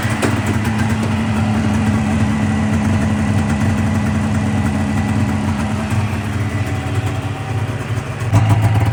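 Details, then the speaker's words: 2000 Polaris 550 Trail RMK two-stroke snowmobile after reed valve work: warm, low, even burble idling at 1,500–1,600 rpm, steady pitch, no misses or surging; normal idle. "so we pulled it out of the shop and it it idled down to 1,500, 1,600, absolutely perfect."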